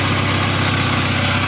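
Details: 1997 VW Jetta GT, cold start after CV joint repair; worn brakes audible while moving. Smooth, even idle with steady low rumble, no knocks or misses. Normal cold idle.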